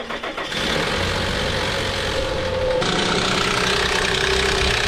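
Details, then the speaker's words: Nissan VQ40DE in a Pathfinder: harsh, busy metallic clatter over the idle from worn timing chains, tensioners, swing arms and guides, all to be replaced; timing chain rattle. "started up again yesterday with no belt or anything on it and it's it's bad it's right here and it's real bad"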